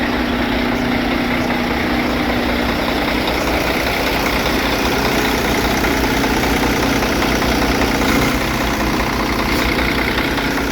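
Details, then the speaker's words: Big diesel truck idling: steady, even tick-over with no knocks, misses or odd whines; engine sounds in good shape, though owner suspects weak batteries or alternator. "uh it sounds like the batteries are the alternative week but other than that it's all good"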